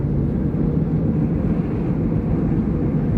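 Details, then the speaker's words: Car on a test drive with loud worn rear wheel bearings: steady low rolling drone from the rear that gets louder with speed. "And it's coming from the back. It definitely needs rear wheel bearings. You can really hear them rolling now."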